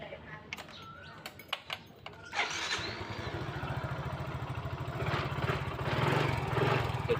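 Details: Yamaha Fino 115i scooter that wouldn't start from low compression, after cylinder head valve seat recut and valve lapping: short crank, then single cylinder settles into steady, even putter; fault code stored.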